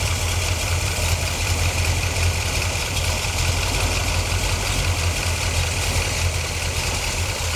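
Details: 1977 C3 Corvette 383 stroker, carbureted, after idle mixture screw adjustment: low, even idle rumble with a steady beat and no stumbles or run-on/dieseling; the engine is settled and idling properly.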